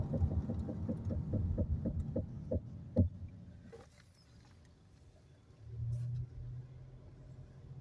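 About two rhythmic thumps per second while rolling, fading out as the car slows and stops; rhythmic brake noise, cause unknown.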